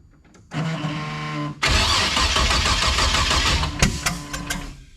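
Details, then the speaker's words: Chevrolet Chevette with V6 swap, first startup after fresh drivetrain install: cranks, catches, then runs rough and lumpy with two dead adjacent cylinders popping; misfire from crossed spark plug wires, distributor cap wiring suspected. "I got two dead holes and they're right next to each other and it's popping like it's got a wire cross."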